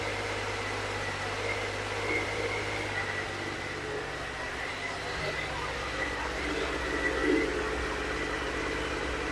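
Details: Triumph Sprint 955i that sat unused for years, after the fuel pump began delivering and the fault codes were cleared: the engine runs at a steady, even hum with a light whir and no misses or knocks.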